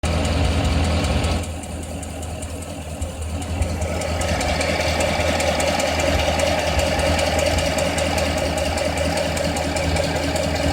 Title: Corvette Ticking/Clicking Sound